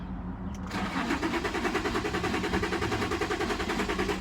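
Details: 2006 Infiniti G35 cranks but won't start despite new crank and both cam sensors, fuel pump, regulator, plugs, programmed ECU; starter spins evenly about three and a half beats per second, never fires; security light not showing; crank no start.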